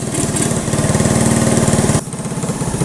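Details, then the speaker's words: 1985 Honda ATC110 three-wheeler, abandoned then revived, in first gear; small single chugs unevenly at low revs, straining near stalling against a seized rear end; carburetor needs cleaning and an inline fuel filter, rear end to be freed. "Most certainly needs a carburetor cleaned out. Definitely needs an inline filter for the fuel. And more importantly, the back end is seized up. I can take it apart and free it up."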